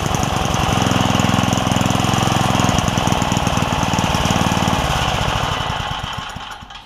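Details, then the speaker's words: Craftsman 3hp Tecumseh edger with a retrofitted snowblower carburetor: small single thumps at a rough low idle and won't pick up before fading out; cause is a governor spring and linkage issue, not the carburetor. "it's running on idle uh not because of the carburetor but because of a governor uh spring and linkage issue so let me sort that out get it running right"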